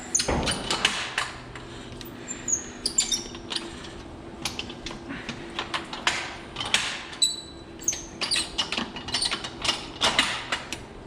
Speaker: you can hear that it stopped the bump cycle. It does it 10 times, and that's just enough to get all the media off the tubes and back into solution.